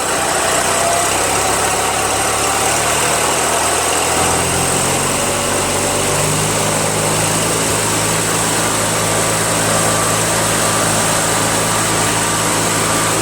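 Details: Toro 616Z zero-turn mower twin, hot, which sometimes ran on one cylinder (left suspected dead, maybe a stuck valve loosened): steady, even running with no skips or stumbles; both cylinders firing, normal idle.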